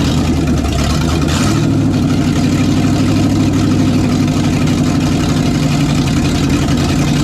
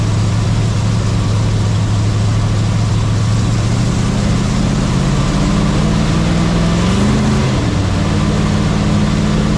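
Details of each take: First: '67 GMC C10 with newly swapped 400HP small-block Chevy 350 with a little cam, first test run: deep V8 idle with mild cam lope, steady and even, no knocks, ticks or misses; healthy engine. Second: Tired old 350 small block in a 1967 GMC C10/910 pickup: idles, revs up and drops back twice, with a faint high squeal on top; owner suspects bearing trouble, squeal noted when oil pressure drops once warm.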